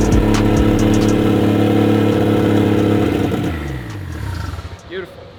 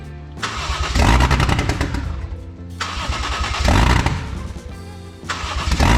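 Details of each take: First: 1JZ-GTE swap into a Lexus IS300, first start after wiring troubleshooting; only the last 20% of throttle works (likely needs relearn). Engine fires and runs with a steady, even note that settles and fades out; no knocks or misses, runs fine. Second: 1JZ-GTE VVTi swapped into Lexus IS300, first start attempts: engine catches, runs rough a couple seconds, then dies, repeating with erratic rhythm; stalling after start possibly from missing airflow-meter (MAF) signal.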